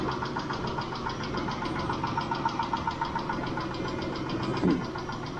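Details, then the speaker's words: Mitsubishi Montero Sport 6G72 V6 warming to about 80 °C after Liqui Moly hydraulic lifter additive: light, quick tapping three or four per second at idle, now seemingly a single lifter; owner suspects one failed hydraulic lifter, plans replacing all. "Они всё ещё стучатся . Вернее, возможно, стучит только один раз — слышен лишь одиночный стук."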